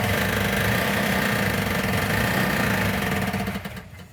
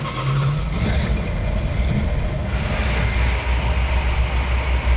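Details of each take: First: 1970 Plymouth 'Cuda 340 starting after the missing fuel sending and pickup unit was found to be the cause of no fuel: rough, uneven running with a tinny metallic knock about four times a second, traced to the flex plate rather than engine internals. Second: 1970 Plymouth 'Cuda 340 after engine repairs: deep, steady V8 idle with an even low rumble, 65 psi oil pressure, no miss, hiccup or noise; runs smooth like butter, engine now fixed.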